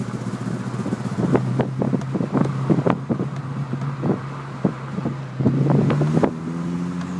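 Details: Renault Clio 172 Cup, cold engine at low idle: irregular sharp pops and stumbles break the rhythm amid some wind flutter; misfire when cold, cause not yet pinned down.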